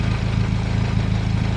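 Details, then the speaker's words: Warm turbocharged petrol engine idling smoothly just below 1000 rpm with a steady low hum and even pulses, after a vacuum leak causing high idle and code P0507 was found and fixed. "Sounds lower to me. Yeah, that's it. Just dropped below one grand. It was above a grand, wasn't it? Yep. I think we fixed the problem. It seems you're idling just fine."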